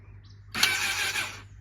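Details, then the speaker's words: Honda CBR1000RR crashed in a police chase, spark plugs out after Marvel Mystery Oil soak, first attempt to turn over: short even starter whir about a second, no catches or grinding; engine spins over freely, normal cranking. "She spun over. She spun over, babe. Good."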